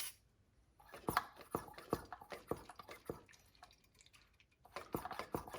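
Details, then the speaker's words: 2002-2007 Saturn Vue, vacuum bleeding after a brake hose replacement, second pull after refilling the reservoir: irregular wet spits and crackling through the bleeder; air still in the brake line. "we're gonna poke this back up again a nice vacuum bring it back open still spinning and sputtering"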